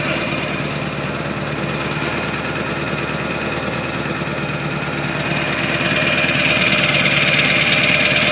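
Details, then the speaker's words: 2002 Ford 7.3 Powerstroke diesel, snowy December cold start, 4-inch turbo-back MBRP exhaust, likely a TC 6-position tuner: even rapid diesel clatter under deep open exhaust rumble, building slightly near end; normal idle. "the old classic 7/3 sounds like she's open yes 4-inch turbo back mbrp exhaust and he has that TC 6 position Turner I believe"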